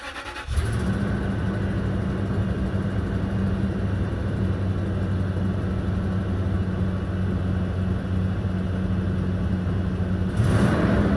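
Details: Stock 2005 Toyota 4Runner, 4.7 V8: catches and settles into a loud, raspy puffing idle with a sharp exhaust chuff on a rev at the end, from a bad exhaust leak.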